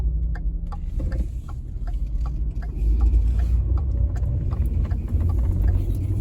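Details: 2014 Ford F-150 3.7L road test after fixing intermittent no-start by replacing starter, fuel pump and a sensor: smooth low engine drone under road noise with light regular clicks, pulls evenly, no misfire; normal running.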